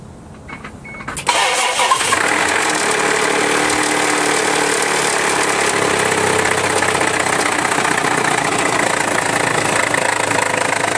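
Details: Isuzu Rodeo running with timing belt cover removed: busy uneven slapping clatter over idle as the timing belt flops loosely because its gas-spring tensioner has failed.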